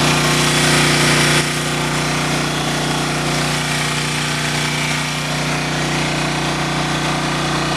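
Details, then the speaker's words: Engine running on wood gas from a gasifier, about a quarter bucket of wood; steady, even drone with constant low hum, no knocks or misses, running efficiently and normally. "I joke you not, this thing is running really efficient on the wood."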